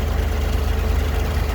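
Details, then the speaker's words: 1962 Chevrolet Corvair Monza convertible, 53,000 miles, 4-speed, fresh oil, full tune-up, rebuilt carbs, just started: steady, even low idle with a smooth regular pulse, no ticking, valve noise or motor noise; engine healthy. "Okay, we got her started. And as you can see, I don't know if you can hear that, but there's no nick, there's no, valve noise, motor noise,"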